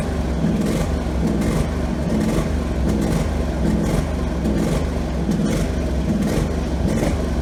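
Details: Husqvarna 48 GLS lawn tractor, previously racing and surging: small engine now holds an even, settled speed on the remaining high-speed governor spring after setting the idle screw; normal steady engine speed.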